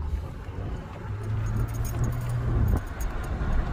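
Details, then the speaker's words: GMC Envoy all-wheel drive, 251 km (as read), driving: a low metal-to-metal droning growl over road rumble that gets louder as speed rises, coming from the front. Suspected front differential, not confirmed. Drivetrain growl rising with speed. "I could hear a growling sound. It's like metal to metal. All right, the faster I go, the loud sound to come up."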